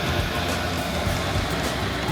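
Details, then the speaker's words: Diesel air heater running after a successful start without priming, lit on second attempt; fuel pump floating midair for quiet operation: steady even roar with low hum, no misfires or sputtering. Normal running. "the heat is definitely picking up and I can tell that this has been a successful start I didn't have to prime it at all"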